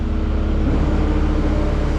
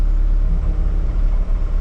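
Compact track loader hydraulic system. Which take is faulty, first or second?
second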